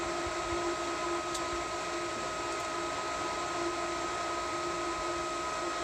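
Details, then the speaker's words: Variable-speed pool pump priming at full rpm on startup, turning down once it finds water. Steady, even motor whine with constant high tones, no knocks; normal priming. "i think when it starts to prime it goes to its highest rpm okay and then once it finds water it turns itself down"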